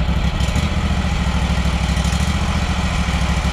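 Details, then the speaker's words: Small mower engine restarted hot right after being shut off, idling with a loose, irregular putter heard at the muffler; owner suspects fuel delivery and plans to check the dirty fuel filter (changed about every 100 hours). "it's like a little puttering you know how's that gonna get"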